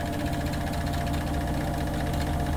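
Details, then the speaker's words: 2022 Rockwood 2899KS fifth-wheel RV washer in closet at high spin speed: steady low drone with fast buzzing shake; both latched closet doors rattle from the washer's vibration. "now we're getting the vibration again the doors both of them making noise and that is definitely high speed at this point both of these are actually making noise now so you can hear even with them latched"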